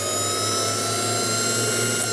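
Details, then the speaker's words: Kingtech 100 G2 turbine after a test run: starter motor spins the turbine to blow hot air out the back, cycling until it cools to a set temperature; steady high whine with even airflow rush, no roughness; normal cooling cycle. "what that does is the starter motor spins and just it just allows it just it's allowing cooling to happen it's blowing hot air out the back of the turbine"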